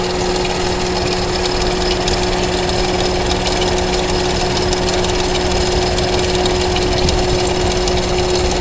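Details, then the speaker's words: Ford Mustang engine idling with valve cover off; faint quick chirping tick over a steady idle; rockers and cam bearings checked fine, owner suspects the timing chain guide. "Uh there's no noise on cam bearings. So my next suspect is chain guide. Timing chain guide."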